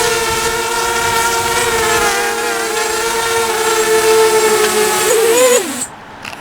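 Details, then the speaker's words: Diatone Tyrant 180 quadcopter, speed runs in strong wind: high whine with gritty uneven edge, then drops and cuts; old junky motors sound rough and worn, owner wants new motors. "cry nice so this is a tyrant 180 uh I really like this Frame I just need new Motors I shouldn't have just used these"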